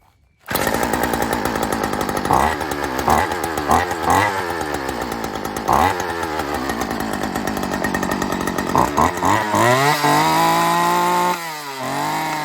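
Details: Old Homelite two-stroke weed eater, stored over 10 years, second start after carb tweaking: catches and keeps running with a crisp buzz, blipping up on throttle and settling back; runs properly.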